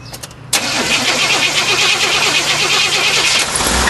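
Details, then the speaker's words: 1988 Chevrolet Suburban Silverado 350 TBI fuel-injected V8 that was run hot fires up and runs with a loose, irregular knock under a bright hiss and faint squeal. "1988 Chevrolet Suburban Silverado 350 TBI engine. It's got a knock in it. Was run hot."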